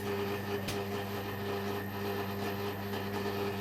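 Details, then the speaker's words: Bendix compact washing machine, recently acquired and long unused, on rinse; steady hum with continuous thin wavering squeal as drain pump runs permanently on, cause unknown: pump squeal. "and anyone remembers my boss washer dryer does exactly the same kind of squeals because obviously it hasn't been used for a while"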